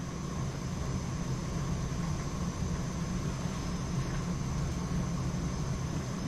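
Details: Heating boiler refilled after being almost empty, heating back up with pressure rising: steady low rumble of burner and pump with a faint constant hum, whistling heard, no knocking or banging.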